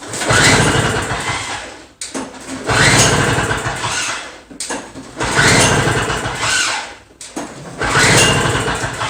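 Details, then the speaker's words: Two-stroke Toro snow blower, half choke, gas topped up, extra priming pumps: four pull-starts about 2.5 s apart, never catches once; no-start later blamed, probably, on a restricted carburetor jet. "all right so that guarantees a bunch of crap because it doesn't start at all so i guess let's take this apart get the carburetor off and see what's wrong with it"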